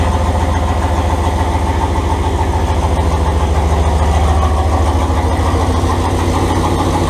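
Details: Turbo 5.2L Dodge Ram first fire-up with exhaust only tacked, not fully welded: loud, raw, uneven low rumble with rapid puffing at idle; exhaust leaking at the unsealed tacked joints.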